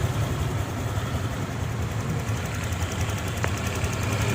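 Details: Honda Click 150i scooter idling after rebuild with new connecting rod, piston, rings, pin, head gasket, original crank bearings, coolant level steady: low even putter, no knocks or rattles; idling smoothly.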